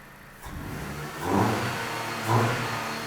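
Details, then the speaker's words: 2007 Dodge Caliber that ran badly and wouldn't rev despite two new PCMs, after throttle body polarity testing: two quick blips from idle, each climbing cleanly and dropping back smoothly; the engine now revs freely, apparently fixed. "sounds like it's fixed go ahead and shut it off"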